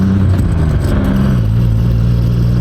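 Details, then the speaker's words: Truck engine revving up with a deep, even note after repair, pulling smoothly without the earlier jerking or stumbling; now idling at the right speed and running better than before, exhaust somewhat noisy. "not doing all the jerking. It's running better than it was."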